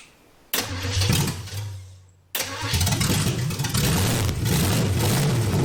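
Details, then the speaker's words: Chevy Nova four-door junkyard rescue, carburetor primed with cleaner, new accelerator cable, no exhaust pipes, just manifolds; catches, stumbles, settles into loud uneven rumble with raw exhaust bark, now running on fuel pump supply. "all right I think we're running on fuel from the fuel pump now all right so we got it running off a fuel pump that's good"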